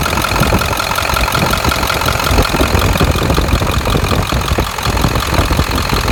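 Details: 7.3 diesel engine at idle: a loud, busy idle with a sharp, fast tick running through the clatter and keeping pace with the engine; cause of the tick unclear.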